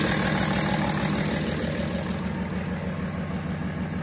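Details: 2010 BMW 335d with M57 diesel at idle: rough, shaking running with a regular missing beat about three times a second and heavy exhaust smoke; misfire.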